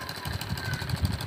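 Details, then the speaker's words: 2008 Yamaha Jupiter Z single-cylinder motorcycle that was hard to start and wouldn't rev: after fitting a replacement block, it idles with a quick, even beat and no misfire or stumble, running properly again. "Alhamdulillah teman-teman motornya sudah hidup sudah kembali"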